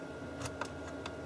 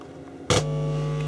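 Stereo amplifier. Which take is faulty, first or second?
first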